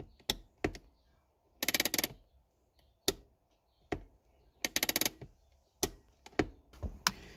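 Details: Honda Accord handbrake before final cable adjustment: two pulls, each a quick run of about eight ratchet clicks; lever travels too far, cable too loose and needs tightening.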